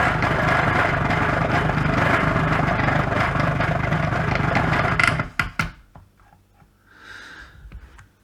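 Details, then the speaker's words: Faulty Kenwood Chef mixer, reassembled after an attempted repair: loud, busy motor drone runs about five seconds then slows and stalls abruptly; still the same fault, starts after being left a while then slows down. "it's like if we'll leave it for a while and then try it it'll start and then slow down"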